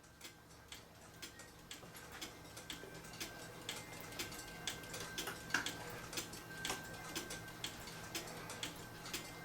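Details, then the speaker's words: Swiss-style German cuckoo clock with music box and bellows hooked up: steady ticking about once a second with music-box chimes, but one side's bellows is not sounding and needs adjusting. "and now that I have them up you can hear I need to adjust the one there for the Bellows cu the one side's not"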